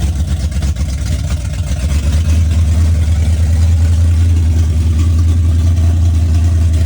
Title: This was before I rebuilt the carburetor and you can hear the vacuum leak making the carb hesitate.